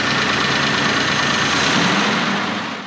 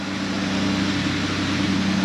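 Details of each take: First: 1995 Honda Passport (Isuzu Rodeo), losing power and hard to start: engine churns and sputters unevenly about three seconds then dies; zero fuel pressure at regulator, owner suspects failing replacement fuel pump. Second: 1995 Honda Passport (Isuzu Rodeo) with hard-start, power-loss fuel issue, fuel pressure checked at about 38–40 psi: started right up, smooth steady idle with even tone, no misses or knocks.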